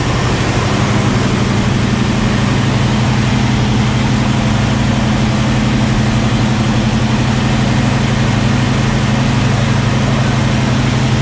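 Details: 1973 AMC Javelin, neglected and long sitting, after gas poured down the carb; steady, loud low rumble with an even pulse, no misses or knocks, engine caught and idling. Engine idling after start.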